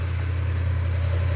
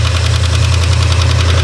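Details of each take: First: 1972 Ford F100 4x4, 390 V8, four-speed, revived after 15-plus years parked: deep, even idle rumble with no valvetrain ticking, the lifter clicking having cleared itself while running. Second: 1972 Ford F100 4x4 with a 390 V8, revived after 15+ years parked: a deep idle rumble with light quick lifter ticking that later cleared by itself while running.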